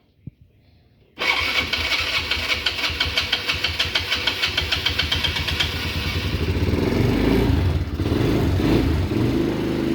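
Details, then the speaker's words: Mid-2000s Polaris Sportsman 90 ATV starting and idling with a little throttle: rough scratchy rattle ticking about three times a second over the engine; dry bearing, suspected in the belt cover, hoped not a crank bearing. "Yeah, I'm sure you guys heard that too. There's definitely a dry bearing somewhere."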